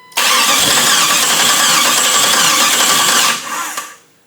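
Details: Chrysler 318 V8 swapped into a Jeep TJ with AW4 transmission, first start attempt on newly wired harness: about three seconds of steady starter churning with no firing, then it stops; the ECU loses power during cranking, so no start.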